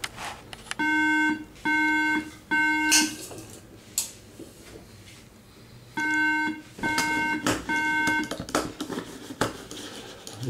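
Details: iMac making a strange noise, with mouse, keyboard and volume not working and failing to shut down: clear mid-pitched electronic beeps in short repeating groups in a quiet room; cause unknown.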